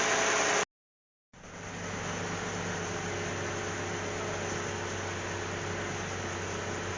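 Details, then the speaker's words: Cadillac CTS 3.6 L after spark plug change for cylinder 1 misfire, heard at the tailpipe: soft, even hiss and hum with no pops; idling smoothly, far better than at first start. "listen to that sounds a lot better than it did the first time doesn't it"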